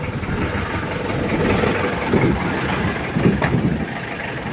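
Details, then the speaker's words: Mitsubishi L200 Triton diesel at cold idle before engine overhaul: uneven, limping beat with weak-firing cylinders, raw white oily smoke; injectors suspected badly worn, hard cranking, compression test poor, running hot; rough misfiring idle. "itu asapnya dan suaranya juga pincang"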